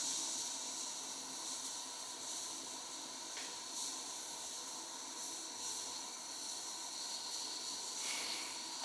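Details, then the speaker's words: Wilesco T115 model steam turbine boiler at low pressure, hot; quiet, steady high-pitched hiss with no rhythm from a small steam leak. Owner suspects the pressure gauge fitting, not confirmed. "All right, we have an actual leak somewhere. I can't quite feel where that is."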